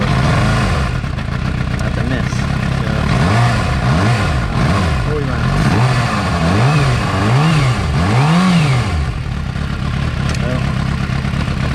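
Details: 2006 Suzuki GSX-R750 inline-four: uneven, lumpy idle with throttle blips rising and falling, stumbling as if not firing on all 4 cylinders; stalls at lights, poor power under load. Owner suspects a faulty coil pack, though coils spark and test alike; rough idle cause unconfirmed.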